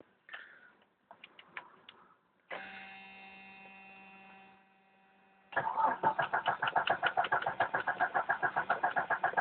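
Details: 1992 Jeep Cherokee with a petrol 6-cylinder, first start of the day, outside about 24-26 °C: steady starter churning at about 3.5 beats per second, cranking on without the engine ever catching; hard starting.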